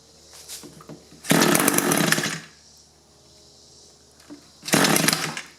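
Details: Echo 2-cycle hedge trimmer, engine replaced after being run on straight gas, which would only run on choke: it idles, then snarls roughly twice but can't hold revs. Fuel starvation from a clogged tank vent; it still won't throttle up.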